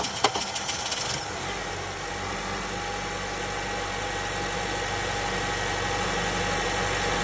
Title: Sound of a bad starter on a 2008 Honda CRV.